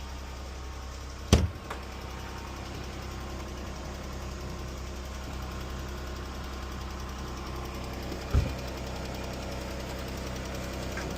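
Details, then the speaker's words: Jeep V6 idling, hood open: light tick over a steady hum, the owner says it sounds real bad; attributed to worn rocker arms and lifters common on these engines, not the oil used. "It's just these engines be having rocker arms and lifter problems. They have what? Rocker arms and lifters."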